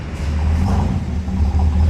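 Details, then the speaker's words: 1973 Corvette C3 with the 454 big-block (7.5 litre) V8, off the road for over a decade and awaiting restoration. A deep, even burble with steady low pulses and no knocks or misses. Normal, healthy idle. "As you can hear, that engine is really sweet."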